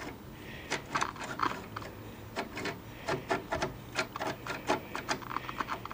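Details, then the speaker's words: 1974 Wards Airline portable color tube television: turning the channel tuner gives uneven scraping clicks and gritty rasp instead of clean detents; the tuner is filled with rust and sand. "this tuner is it's a crate quite coarse would be an elegant way to say that it's basically filled with rust and sand and grinding"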